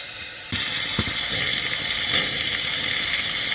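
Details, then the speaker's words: 6.0L Powerstroke diesel, valve cover off, high-pressure oil system pressure-tested: steady sharp hiss of oil and air escaping at the top half of a cracked high-pressure oil standpipe, nearly broken in two but still connected. "See the oil and air moving there. Top of the standpipe. There it is. It's the top half of that standpipe."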